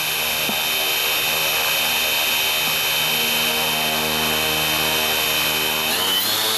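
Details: Predator 37 sustainer motor for the EMG-6, first filmed electric test run with an optical tachometer and motor temperature sensor fitted: steady high propeller whine and even motor hum, no roughness or rattle, pitch shifting near the end as speed changes. Running normally.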